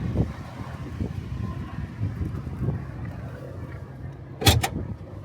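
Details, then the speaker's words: Motorhome engine just collected after a breakdown repair at a Ford shop, running with a quiet even low hum, no misses or knocks, sounding much better than before the repair. "Really good. Sounds nice and quiet. Doesn't sound like the last time I was in it."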